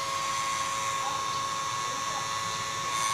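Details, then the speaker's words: Portable hot-air soldering blower with burnt IC, speed knob turned down: thin steady whir of the small motor turning slowly and evenly, no rubbing or rattle; runs fine at low speed. "Ketika saya putar ini, dia menjadi pelan. Ini dia menjadi pelan."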